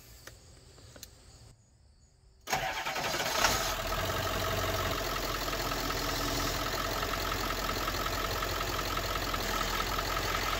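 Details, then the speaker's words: 1996 Ford F350 7.3 Powerstroke diesel started after replacing the broken high-pressure power steering line and refilling fluid. It cranks, catches and idles with a thin steady whine; the owner thinks it needs more power steering fluid. "i don't know if you heard that i think it needs a little more fluid"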